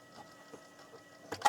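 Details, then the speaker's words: Untested dual-speed PC floppy drive tested with IMD: faint scattered ticks then two sharp clicks as it fails to read the disc; owner suspects dirty heads. "it's kind of making a clicky noise oh I'm not sure this drive is working properly"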